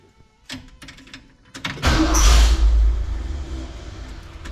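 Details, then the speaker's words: Ford Bronco started using a 6,000A lithium jump starter on its battery: a few quiet clicks, short crank, engine catches at once, blips up and settles to a steady run; clean quick start. "started really quick with this uh Bronco you got to throttle it"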